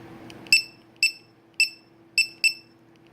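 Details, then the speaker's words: Low-voltage checker on a 2S 7.4 V LiPo pack, alarm set at 3.80 V per cell (range down to 2.70 V): sharp, high-pitched chirps repeating about every half second with a few irregular gaps, warning that the pack voltage is low. "go let's see 380 so lowest to go is 270 and of course you hear that beep that's what the alarm sounds like"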